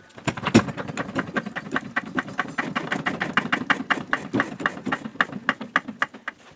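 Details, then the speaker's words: 1999 Honda Civic EX 1.6 VTEC D16Y8, engine revved: tinny metallic rattle about five times a second rising and falling with revs; catalyst broken loose inside converter, now plugging exhaust with power loss. "And it started with a rattle. When you'd start the car, it sounded like a heat shield on the catalytic converter was rattling, and it would vary with engine speed."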